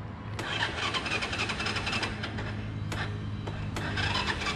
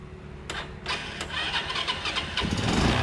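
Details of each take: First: Motorbike that has died, kick-started with the ignition on: the engine spins with a steady cranking rhythm but never fires or picks up. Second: Motorbike that would not start (dead ignition), run with a substitute IC/CDI ignition unit plugged in: a few starter clatters, then engine catches at once and settles into an even idle with a steady beat; stops when unit removed.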